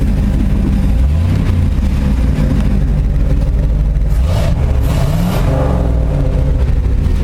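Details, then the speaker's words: 1968 Ford F250 with 390 FE V8 after replacing points with a Pertronix Ignitor, timing advanced slightly for altitude: deep even idle around 650 rpm with crisp throttle blips, no misses; normal idle and revving. "This is the way it's supposed to sound. Where's my RPMs at? Yeah, around 650. Okay, good."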